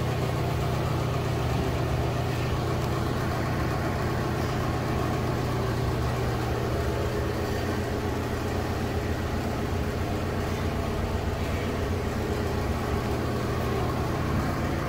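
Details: Loren Cook restroom exhaust fan at full speed: strong, steady low drone with a loose, buzzy rattle; grille may have been hit with something and needs maintenance.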